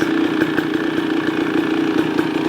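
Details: 2023 KTM 300 XC two-stroke, first run after crank seal replacement and new clutch dampers: crisp even idle, steady buzzing note, no knocks or rattles; owner thinks it may be slightly quieter; normal idle.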